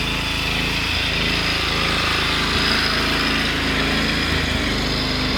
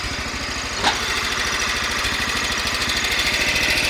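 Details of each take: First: Cub Cadet 1100 small single-cylinder engine, a few gaskets replaced, idling with a steady, fairly quiet patter and a light rattle from a loose part, not a rod knock; no oil burning or smoke. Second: Cub Cadet 1100 garden tractor single-cylinder engine idling after gasket repairs; light, tinny rattle over steady pulses, owner believes it is a loose part rattling, not connecting rod knock.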